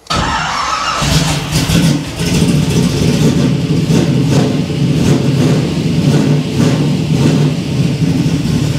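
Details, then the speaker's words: 1967 Camaro V8 after rewiring to start on the key, in neutral, carburetor with makeshift throttle return spring: brief crank, pumped gas, quick catch, then firm even idle with throttle blips and good oil pressure; starts clean, idles nicely. "I'm going to pump pump the gas then crank it a this thing sounds good"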